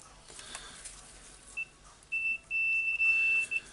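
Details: Hitachi DH40MR SDS-max hammer drill power cord checked with multimeter in continuity mode: a few short beeps then a long steady tone; cord wire intact, the switch was faulty.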